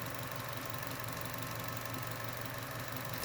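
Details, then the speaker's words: Chevy Cruze 1.4 (same engine as Sonic): after reconnecting the evap purge solenoid hose, steady even idle hum with no plastic ticking or rattle; the purge solenoid rattle is gone. Normal idle. "there we go daddy that purge solenoid isn't making that plastic rattling noise anymore sounds a lot better right now"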